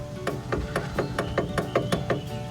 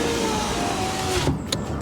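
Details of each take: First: 2012 Honda Fit rear door window motor, recorded at the door with panel removed: rapid even clicking about four a second, no motor hum, window not moving; both back windows stopped together, fuses tested okay; failed power window motor. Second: 2012 Honda Fit rear window after replacing the back window motor: steady even motor whir over a second, stopping cleanly with soft thud; normal power window operation.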